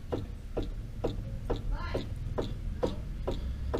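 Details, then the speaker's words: 2014 Hyundai HB20, driver's side front suspension rocked by hand on a lift: sharp, regular knocks about twice a second from play in a worn stabilizer link, not the steering rack or ball joint. "esse daqui é do lado do motorista olha o barulho da folga da abelha tá ó só a bieleta"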